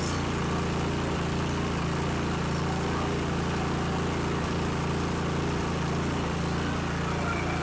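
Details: Cub Cadet 3X snow blower after drive belt replacement, electric start with throttle, primer and choke: small single-cylinder engine runs at a steady fast beat with even firing, no stumbles; normal running.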